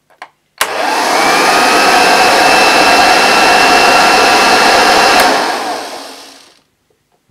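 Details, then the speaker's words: Unused 1975 Hoover Junior 1346A upright vacuum, old belt refitted and agitator rotating: motor spins up to a steady high whine with even rush of air and the familiar sound of the dust bag inflating, then winds down cleanly; healthy. "I don't think there's much wrong with that and I got the familiar noise The Familiar sound of the the dust bag inflating"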